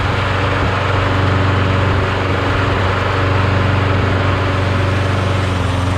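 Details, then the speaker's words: Briggs Quantum mower engine after being swapped onto another deck: steady, even engine beat holding constant speed without stumbles or knocks; runs clean and healthy. "sounds good really good nice nice"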